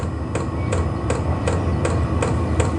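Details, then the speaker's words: Vevor portable diesel heater, still in its startup procedure with air flowing but not yet hot: steady sharp fuel-pump ticks two or three a second over a low fan rumble. This is a normal startup. "no hot air yet there's air coming out but it's it's not hot yet it's still going through a startup procedure"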